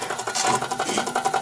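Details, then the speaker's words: Small St Louis motor with brush timing off: quick, even buzzing pulses, running slow; rotating the brushes (not the commutator) changes timing, and at correct timing it runs noticeably faster. "notice how slow the St Louis motor is running at the moment but now when I turn the commutator or actually I'm turning the brushes not the commutator but that's changing the timing"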